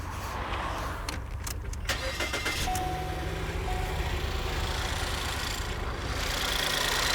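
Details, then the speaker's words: 2016 Ford 1.6L EcoBoost GDI after correcting improperly installed ignition coils that caused a cylinders two and three misfire; engine cranks, catches and settles to an even, steady idle with no stumble; power balance even, misfire gone. "that sounds better unreal here's your power balance incorrect coil installation was not a bad plug was not bad parts these coils were not installed properly our misfire is gone"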